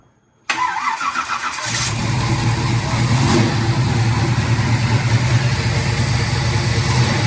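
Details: 1986 Chevy Caprice V8, first start in 2 years after rebuilt 400 turbo transmission with trans brake and new Accel plug wires, on lift: short crank, catches at once, smooth even deep idle, no misses or knocks.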